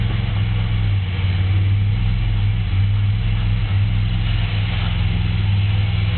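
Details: Pontiac Grand Prix engine at idle, low heavy note with a dull knock under each crank turn, steady throughout; rod knock from a spun bearing.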